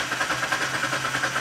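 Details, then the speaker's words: 2008 Kia Sportage with 200,000 miles, a no-start suspected of a faulty fuel pump. The starter spins the engine fast and uneven with no compression rhythm; it sounds like a broken timing belt, not the fuel pump. Only unrelated codes were stored. "that sounds like a timing belt. Let's see what codes we have. This is not going to be a fuel pump."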